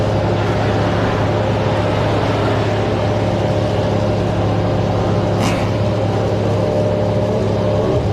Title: Diesel Runaway #motogp #youtube #runawaydiesel #automobile #shortsfeed #shorts